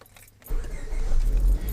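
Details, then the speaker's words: 2000 Honda Civic LX, D16 engine, automatic, right after starter replacement: brief quiet then engine catches immediately and settles into an even rumble; clean quick start, fault fixed. "Boom. Sounded much better than it ever has. So let's turn it on and off 3 or 4 times."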